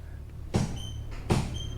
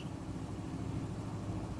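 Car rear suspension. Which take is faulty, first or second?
first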